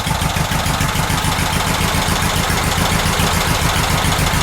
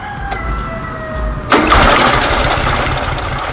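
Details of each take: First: VW Super Beetle Volksrod air-cooled flat-four after carburetor mixture adjustments, valves not yet adjusted: steady, even idle chug about three and a half beats a second, no misses; running much more evenly though not 100%. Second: VW Super Beetle Volksrod, cold start, carburetor without choke, after drying a wet distributor cap: catches after about 1.5 s into an uneven, loping idle; still shaky, likely a cylinder not firing; loose alternator pulley also knocking.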